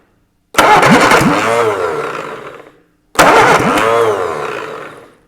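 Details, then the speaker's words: Reliant Super Van engine freshly rebuilt with valves reground and timing set by hand, running on choke about 10 seconds: two short starts, each catching at once and running smoothly for about two seconds; sounds sweet. "right release the choke that sounds really sweet it did sound I wouldn't release the choke it's only run for 10 seconds just to get the petrol go down bit"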